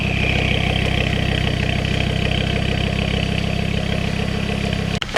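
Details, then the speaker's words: Ford Focus ST/XR5 Turbo after the exhaust leak repair: smooth regular idle, much quieter, no puffing or ticking, exhaust note now coming from the rear; leak fixed. "see if our little exhaust misfire problems gone come on ah much quieter [Music] now and it's finally coming from the back of here"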